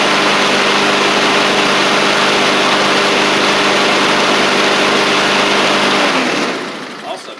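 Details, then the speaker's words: Husqvarna push mower with a Honda GCV160, in a final test on a cold January day after a part was turned the right way, plus a new oil filter, oil change and sharpened blade. Runs at steady high speed with an even buzz, then is cut off and winds down. Normal running. "So that seems to have fixed everything, which is good. Very happy with that and how it all turned out."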